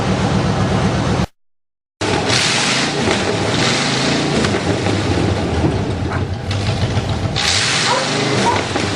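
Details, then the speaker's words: Buick Roadmaster 5.7 L fuel-injected throttle-body V8 running on newly completed custom chopped open headers: loud, raspy open-pipe burble with a quick steady pulse and a brief dropout, running evenly; sounds healthy, normal running. "That sounds awesome. You like? I like."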